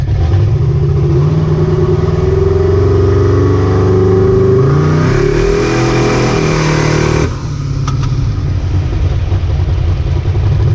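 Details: Ricky's 750 blow-through carburetor on a V8, with a 6.5 power valve, no pump shot, under test: a deep burble that revs up cleanly and settles back without stumble or popping; best it has run so far, normal running.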